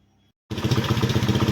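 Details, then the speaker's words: Old-model TVS Fiero after converting its electrics to a TVS Apache CDI and changing the stick coil, fixing a current supply problem: after brief silence the engine catches at once and settles into even steady thump, no misfire; normal start after repair. "তাৰপিছত finally আমাৰ bike start হৈ গ'ল এই আৱাজ দিছোঁ accelerator plus one"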